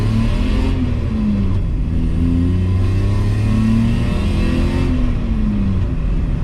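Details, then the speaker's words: BMW E34 535i, M30 B35 straight-six, first drive: engine pulls smoothly through all gears and rpm, even at high load in a high gear, with no misfire; earlier stuttering is gone, normal acceleration. "feels good feels good stuttering's gone it literally goes through all the gears all the rpms now and it doesn't even stutter even even at high load in a high gear"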